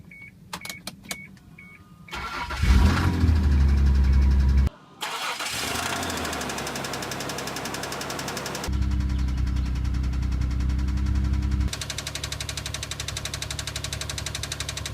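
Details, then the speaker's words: 2002 Isuzu Trooper LTD V6, about 140,000 miles, starting and idling: steady, fast knock about four a second under the engine note; owners attribute it to rod knock from oil starvation, and the engine was replaced. "we're going to be talking about the rod knock that this engine has developed"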